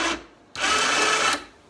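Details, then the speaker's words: Harbor Freight ATV winch on a Grizzly after replacing faulty five-pin relay number 1: short, steady high-pitched electric whir starting and stopping cleanly; winch motor pulling normally. "So it's working. Number 1 relay that we marked. This one was the bad one."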